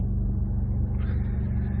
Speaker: she's running really good extremely smooth no tickety-tick